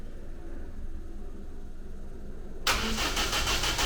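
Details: Ninety with a rebuilt replacement engine, fresh large battery and strong spark: the starter spins it over in even chugs about three a second with no firing. The ignition was statically timed with the distributor too far advanced, and the cam timing marks were later found set wrong.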